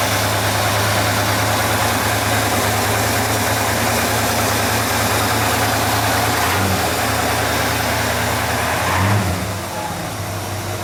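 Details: 1959 GMC Napco 4x4 truck with new exhaust, new Edelbrock/Carter carburetor and electric choke, started and idling: steady, even idle with a deep exhaust note and no knocks or misses, then a brief blip. Normal running.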